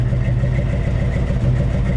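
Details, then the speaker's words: 1961 Chevy Apache V8 first fired after an oil pump replacement, timing only roughly set: deep, loping burble at a fast idle, steady with no knocking or ticking; running healthy with strong oil pressure. "Alright, hook the battery up, check plug wires, get it timing in the ballpark, and fire this thing up. Alright, she's running."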